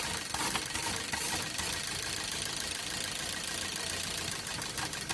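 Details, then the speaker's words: Maruti Swift Dzire petrol/CNG running on CNG, misfiring: uneven, stumbling idle; unplugging one CNG injector stops its ticking but changes nothing in the misfire, so that injector is dead. "आवाज बंद हो गई और missing भी नहीं करती। मतलब इसको निकालने के बाद कोई फर्क नहीं पड़ता है इंजन पे।"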